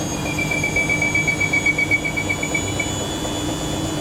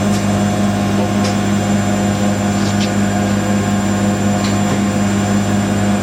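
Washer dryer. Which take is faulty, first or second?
first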